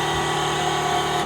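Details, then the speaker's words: 2JZ engine swap on Megasquirt, first start attempt: at key-on the fuel pump primes with a loud, steady buzzing whine for just over a second, then cuts out; extremely noisy pump. "extremely noisy pump see if we'll fire up"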